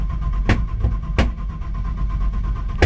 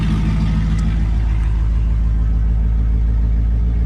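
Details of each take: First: Nissan Patrol with LS1 V8 swap, first start in freezing weather after sitting a while, fuel pump primed: sharp loud bangs, three in about three seconds, breaking through a rough low rumble as it tries to catch; backfiring on starting, owner wondered if low on fuel. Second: LS1 V8-swapped Nissan Patrol, first start after sitting a while on a freezing day, backfired during cranking, fuel possibly low; deep steady rumble with slight cam lope, even firing, no knocks; healthy cold-start idle.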